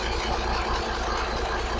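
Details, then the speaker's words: 1983 Kenworth cab-over, Cat A-model diesel, after setting pump timing and overhead; steady even idle rumble with slight rough edge, no knocks; smokes a little and owner notes slight blow-by as expected; sounds good. "So it's just a little bit of blow by. I expected that. It sounds good, man. It sounds real good."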